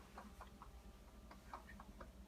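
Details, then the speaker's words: Brand-new Whirlpool WRF736SDAM fridge, delivered March 2015, knocks and clunks for an hour or more at a time several times a day: faint, quick ticks over a steady hum. Taping down a suspected loose water line did not stop it; cause unknown. "I'm going to let you listen to the knocking of our brand new Whirlpool fridge."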